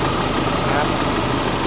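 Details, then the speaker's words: Nissan Navara after a new owner-supplied turbo replaced one with a cracked center housing leaking coolant, all vacuum hoses renewed, idling for a long while: a steady, even diesel clatter with no knocks, misses or whistles. Healthy idle. "อันนี้สตาร์ทเครื่องทิ้งไว้นานแล้วแหละ"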